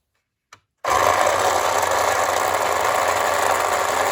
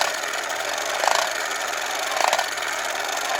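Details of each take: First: Late-1960s/early-1970s Remco Tiger Cat toy jeep on new batteries: buzzy motor whir with a fast ratcheting click about four per second, made by a metal tab riding on a ridged gear purely as a noise maker; normal. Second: 1960s Remco Tiger Cat toy jeep being restored, put in gear: small motor whirs with a gritty clack about once a second as the front axle ring gear skips each time the broken tooth comes round, making the wheel chatter.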